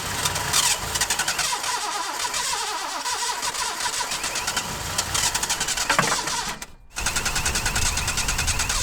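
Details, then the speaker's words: Datsun 260Z that wouldn't start, on its first start attempt with plugs in after spark was confirmed, throttle worked by hand. A steady starter churn with brief catches that never pick up into running. Cranks, won't start; the carburetors were later rebuilt. "Disappointing, but not unpredicted."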